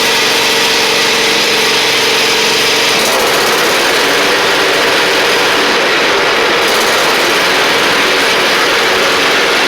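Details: Husqvarna LGT2654 lawn tractor in the garage: steady, even engine drone with blades engaged, no knocks or misses, pitch holding constant under load; normal running.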